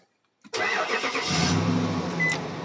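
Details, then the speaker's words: 2005 Nissan Titan starting after the mistakenly removed ignition fuse was reinstalled; starter and fuel pump had been suspected. Quick crank, then it catches at once and settles into a steady, even idle: normal start. "See, now it turned on. Yeah, I thought it was a starter or the fuel pump, so, I was kind of panicked."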